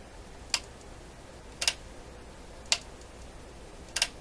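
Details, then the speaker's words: 1960s Emerson EH23A stereo console, on-off switch on back of treble control operated by hand: sharp clicks, some doubled with a slight delay; likely worn, busted switch. "Doesn't bode well for the switch. So it could just simply be a busted switch."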